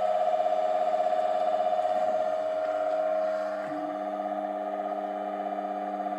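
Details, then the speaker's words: ATB three-phase induction motor after rebuild with new bearings, run single-phase on a 30 µF capacitor: smooth steady hum at constant pitch, no grinding or rattle; quieter than with the old bearings; normal running. "the old bearings weren't too bad but uh the motor was a little bit noisier with the old bearings than with the new ones"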